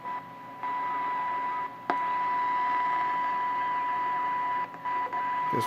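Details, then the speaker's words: 1929 Radiola 66 superhet chassis, no cabinet, after interstage transformer replacement and during alignment: steady high whistle around a thousand cycles with a fainter note an octave up over hiss; a stage is likely oscillating, and neutralizing may be needed. "ya hear that now I might have to neutralize that I was hoping to avoid that"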